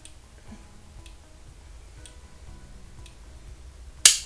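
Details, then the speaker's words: Omnipod Dash insulin pump pod, freshly filled and stuck to the body, inserting its cannula on command from the PDM: a quiet room, then one sharp snap as the inserter fires. A normal cannula insertion. "canule vient d'être insérée donc tout se fait via le PDM"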